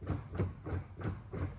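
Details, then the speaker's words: Audi RS4 B7 after 200+ miles, heard at the rear: dull low thumps about three times a second, evenly spaced; the rear differential is suspected of big play in the shafts, noticed especially going from reverse to first gear. "This is the noise what I was talking about. So I think the diff just have like really big play."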